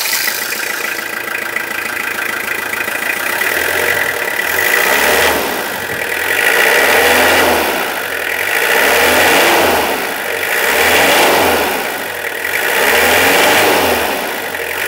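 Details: 2001 Toyota Hilux SR5 2.8 diesel, after sitting a year unused in a parking lot: smooth even running with repeated blips to higher revs and back to idle, no knocks; sound engine.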